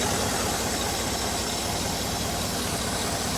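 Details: 2008 Cadillac Escalade V8, roughly 70-90 thousand miles; steady idle under heavy shop hiss, no obvious knock or stumble; normal idle.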